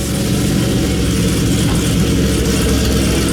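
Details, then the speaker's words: Nickey Stage 2 Camaro ZL1 (Stage 1 cam, 2" headers, cold air intake, pulleys, 160 thermostat, 93 octane), warming up in chilly shop: deep, steady choppy idle around 750–775 rpm; normal cammed V8 idle. "So yeah, this camshaft idles 750, 775 is about where I set them."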